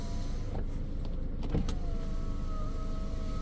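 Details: 2015 Ford Edge window after relearn with the button held: smooth, steady motor whir with a slowly rising tone as the glass travels on its own over a quiet idling engine; auto window working normally.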